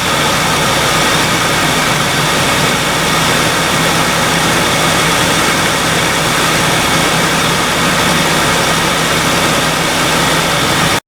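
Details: 2002 Ford Ranger 4.0L V6 after an alternator swap, charging at about 14 volts: smooth, steady idle with an even hum and no knocks, misses or squeals; normal idle.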